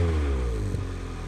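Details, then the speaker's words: Honda Integra DC2 with new Tanabe Hyper Medallion exhaust, joints sealed with no leaks, warming up: short rev blip falling away smoothly, deep even non-raspy tone, no puffing or ticking. "so how good does that sound it's not like an obnoxious sound at all it's like a just like a really solid sound if that makes sense like not raspy"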